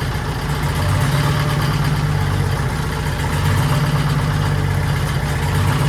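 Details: 1940s Allis Chalmers HD5/D5 crawler with 2-stroke Detroit 271 diesel, first startup after many years retired: steady, deep, even idle, no knocks or misses; motor sounds good but smokes, owner suspects a problem injector and plans replacement.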